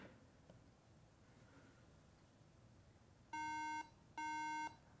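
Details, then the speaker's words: 2012 MacBook Pro booting after new RAM installed: three long high beeps with short gaps, a memory warning; suspected incompatible RAM, not confirmed. "yeah that Ram is probably not compatible with this system"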